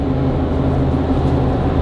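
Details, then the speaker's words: Mercedes G56 manual transmission with South Bend dual disc clutch, previously loud, after switching to Hot Shot's Secret Diamond G56 fluid: steady, even drivetrain drone under way with no whine, clunk or grinding; shifting less notchy, smoother. "less like I don't know less notchy it's more smooth more fluent so that helps"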